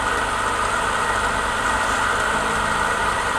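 Steady, even whir with no rattle, knock or scrape from the bearing; the stand fan is running smoothly and quietly.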